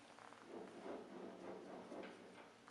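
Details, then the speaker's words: John Deere LA tractor final drive, driveshaft turned by hand during removal. Quiet rough scraping comes and goes in slow bursts, worst on the rear bearing when pushed backwards. A bad pilot bearing on the transmission driveshaft is suspected. "at this point I'll rotate their shaft again and again we can hear that the grinding noise especially on the rear bearing if I push backwards first"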